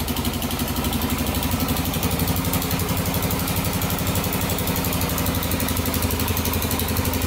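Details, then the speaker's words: 2001 Honda 400EX single-cylinder after rebuild and readjusting valves that had become very loose: even, steady putter with no ticking or rattle and no smoke; normal idle. "sounds really good no smoke cool"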